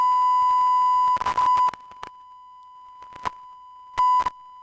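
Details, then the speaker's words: DBX 286s channel strip tested with a smartphone frequency-generator test tone. The tone fades, drops out and breaks into erratic stuttering bursts and clicks as gain is changed; intermittent audio from a faulty preamp input stage. "so this can also happen so it's not only that for example you have you have a popping sounds or that you have intermittent audio like it's the case in this sample here"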